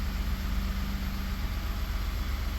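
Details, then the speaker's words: 2019 Ford F150 3.5 L with P0304 cylinder 4 misfire, running on direct injection only: steady, even smooth idle with no skips; on port injection only it runs terribly, pointing to cylinder 4 port injector. "So we're on direct injection only and it's running good."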